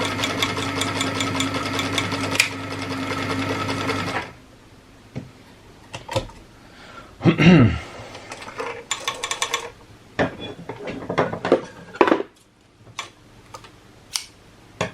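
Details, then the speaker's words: Very old sewing machine stitching a fabric sock for a DIY planar tweeter speaker, foot pedal jerky; light fast dry rattling clatter surging and slowing with the pedal, then stopping; owner suspects it needs oil. "it's an old machine very old machine so yeah the thing makes a bit sounds like it needs some oil"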